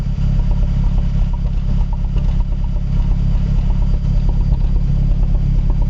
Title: Cold start, rough idle (looks like misfire) - Mazdaspeed3 / MPS